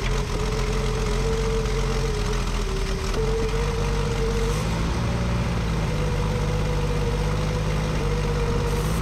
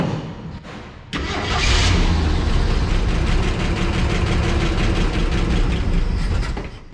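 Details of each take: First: 1965 Ford F100 at idle after carburetor cleanup: steady idle with a wavering whistle and slightly uneven beat; vacuum leak persists at the carburetor, which has stripped holes and lacks the right gasket set. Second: 1965 Ford F100 six-cylinder, first start in about ten years after spark test: cranks, catches, settles into steady, even idle with no knocks, ticks or leaks; carburetor bowl not filling, carb may need cleaning.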